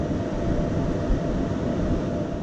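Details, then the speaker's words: Flashforge Dreamer 3D printer's two thin 80x80x15 mm 24 VDC rear cooling fans at full speed: loud steady rushing roar with hum, about 82 dB versus 42 dB with fans off; replaced with quieter fans. "so the fans are on full speed now and we'll see what the sound level is see it's about 82 db instead of 42."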